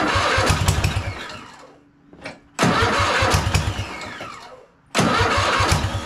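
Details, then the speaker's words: Cub Cadet RZT zero-turn mower after swap to newer Kohler Courage V-twin, first start with carb spray: two quick crank bursts fire into an even, steady running beat; normal start and run. "I'm going to crank this up for the first time. We're going to see if this thing runs. Guess that's a good sign."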